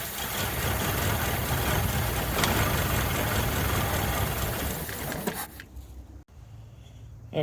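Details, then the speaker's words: 1983 Toyota Encore motorhome, 22R engine, sat over 20 years: fuel poured down the carburetor makes the engine fire and run rough and loud for about five seconds, then die abruptly once the poured fuel is burned. "all right away we go for some of this truthful down the carburetor it's all around the carburetor there we go that'll probably run for a few seconds before it explodes"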